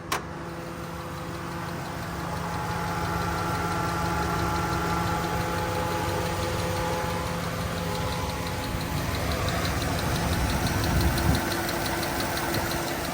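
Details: 2012 Dodge Ram 1500 V8 idling after all fuel injectors were replaced: a faint, fairly regular ticking of about three or four a second persists; the owner says it has been there since day one.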